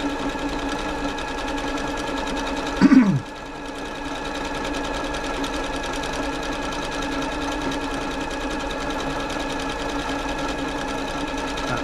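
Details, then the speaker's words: Janome Atelier 6 sewing machine after service and oiling, running a wide stretch stitch: fast, even mechanical whirr, earlier slight noise gone, no rubbing or clatter; normal running. "slight noise is gone now so the uh the lubrication obviously worked its way into it that's nice"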